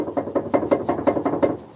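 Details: Lada Vesta, owner attributes to brake calipers (warranty refused as normal noise): hollow, woody knock about five times a second over rough road, then dies away; cause suspected, not confirmed.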